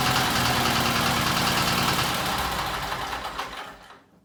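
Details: Case 446 "Big Wheel" lawn tractor twin, barn-stored several years, after removing carburetor air-filter screws that fell in and held valves open: fast, even, busy beat, then winds down cleanly at shutoff; normal running.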